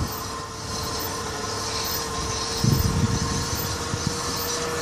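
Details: Nissan Altima Coupe, front driver-side wheel hub just replaced: thin steady metallic squeal over rolling noise at the front wheel, traced to the heat/dust shield hitting the brake rotor; shield then removed.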